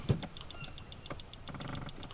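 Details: Newly fitted depth sounder replacing a problematic NASA Duet depth sounder and log unit on a boat: light, crisp, even ticking at about seven per second over faint splash. The new unit is pinging and working normally.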